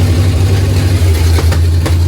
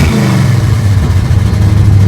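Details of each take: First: 1955 Chevrolet two-door station wagon V8 with the zoomie pipes off, running open from the headers before the full exhaust goes on: loud, deep, lumpy rumble with occasional sharp backfire pops; it started right up and sounds mean but good. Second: 1955 Chevrolet two-door station wagon V8 with a newly installed custom exhaust built from mixed parts, dumping before the rear axle: deep, steady low burble with an even beat, no ticks, knocks or exhaust puffing; runs smooth and healthy.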